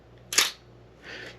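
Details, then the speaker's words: Old film camera being inspected before purchase, shutter set to 1/500 s; one crisp sharp shutter snap then softer mechanical rustle, clean and healthy release. "it's hard to tell the difference between a thousandth and 500th but let's give it a listen"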